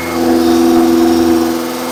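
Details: Engine at fast idle for cam break-in, third start-up attempt, cranked via screwdriver at starter: steady even mid-pitched drone, no knocks or misses; battery about 18 V; lifters louder than expected; oil leak at switch; healthy.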